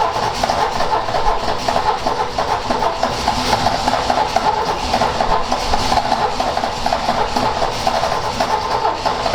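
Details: Ford XA Falcon, long parked, cranked with a hot coil after the float bowl was refilled: it churns steadily and never catches; no start, with the float bowl found empty and a poor distributor cap suspected.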